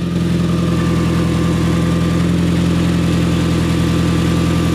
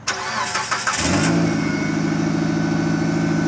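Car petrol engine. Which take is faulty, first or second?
first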